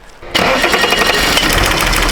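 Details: Beater car just after its engine blew up during hard driving: harsh, rattly run with rapid, fairly even tapping through loud metallic clatter; engine knocking, cause unknown.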